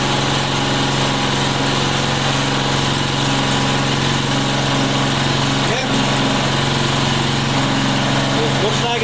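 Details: Neighbor's lawn mower small single-cylinder engine after getting it running again: steady, even drone with no misses or surging; normal running.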